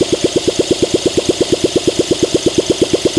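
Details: 1971 Honda SL125, long-stored and freed from seizure, carb cleaned, no choke, throttle cable seized: steady cranking about six pulses a second that never catches. Owner suspects low compression.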